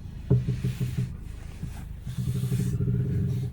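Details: Lada Vesta front suspension giving low rasping creaks when the steering wheel is turned; owner found it comes from the same source as a light knock when pulling away and stopping; strut bearing ruled out.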